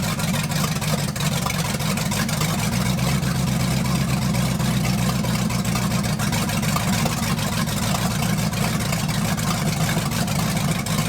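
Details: 1980 Dodge short-bed truck with big-block V8, first run in 14 years, during cam break-in after points-to-electronic-ignition conversion: deep, steady burble at even idle, no knocks or misses; running smoothly.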